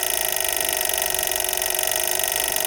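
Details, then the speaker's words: Older PWM solar charge controller on a 12 V car battery with input voltage raised to about 16.5 V: a fast, steady buzzing chatter as the controller repeatedly cuts power from overvoltage, with no clicking at lower voltage. Overvoltage cutoff clicking. "so if your solar panel gives too much voltage like cuts of power and it's making that noise a lower voltage no cooking sound higher voltage cutting sound"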